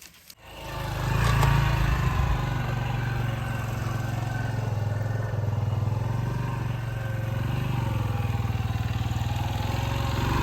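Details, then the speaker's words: Chinese-made XTZ125 single-cylinder with reinforced clutch, test ride at low speed after fixing judder by adding a slit collar and wave washers to take up play in the loose front sprocket: steady thump, no clunks, rattles or judder; ride feels smooth and refined. "でですね、ちょっと軽く乗った感じでは、異音は全く出る感じはなかったです。で、とにかくですね、乗り味がものすごく上品、高級感がある乗り味に変わってます。"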